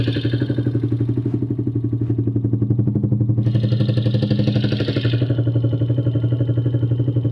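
Even clatter at about four per second riding on the idle, steady throughout; could be loose valve clearance or a knock, undetermined.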